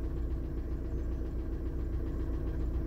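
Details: Warm 2000 VW Jetta TDI diesel idling after a head install with a used piston and rod and new glow plugs: steady low clatter, even rhythm, no misses or knocks. Runs healthy, a normal idle.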